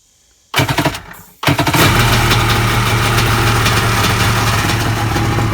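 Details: 1998 Kawasaki ZXi 1100 jet ski that took on water and had no spark, now with plugs reinstalled: it cranks, catches briefly, then fires and settles into a steady, crackly two-stroke idle with an even low beat. Normal start and idle.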